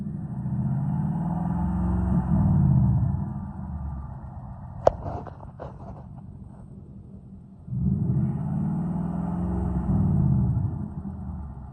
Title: Is this piston slap or engine rattle ??